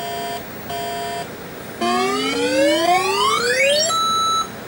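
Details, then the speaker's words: 1983 Atari Crystal Castles arcade PCB in self-test after replacing RAM at 4F: two high beeps then five low tones and rising sweep; beep code still reports RAM at 4F bad. "It's doing the same thing. It's telling us that that same RAM is no good."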